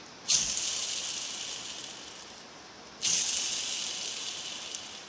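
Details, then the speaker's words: Super A transmission outer main shaft ball bearing spun by hand off the tractor: a dry metallic rattle fading over a couple of seconds, blamed for the transmission's noise in gear and neutral. "hear that that is bearing so there's your noise right there that's why the transmission makes so much noise"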